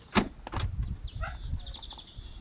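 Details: Land Rover Discovery 3 after a tailgate release switch replacement: a sharp clunk from the latch followed by light rattles and handling noise; the tailgate lock releases normally.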